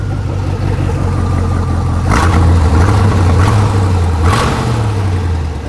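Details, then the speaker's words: 1992 Corvette V8 with restricted catalytic converters and a suspected misfire, revving: loud raspy puffing chuff rising with throttle from substantial exhaust leaks, apparently at the front manifold, exact location unconfirmed. "kind of hard to tell because we have some exhaust leaks i'm not sure where they're pretty substantial take a listen that's no small leak"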